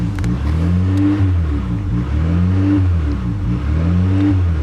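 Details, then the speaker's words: 1998 Honda Accord 3.0L V6 idle surges up and down in a steady cycle about every 1.5 seconds, RPM gauge swinging; check engine light with code P1519, idle air control valve circuit fault. "But as you can hear, the idle is going up and down, and we actually do have a check engine light on."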